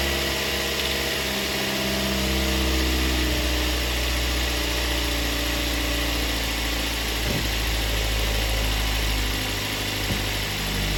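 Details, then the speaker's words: 2007 Ford Focus Duratec 2.0/2.3 first start after cylinder head installation, fresh synthetic 5W-20, no belt, coolant or power steering fluid yet: smooth steady idle, even low hum, no ticking or knocking, healthy. "yeah sounds great i'm super excited about that started on the first try awesome"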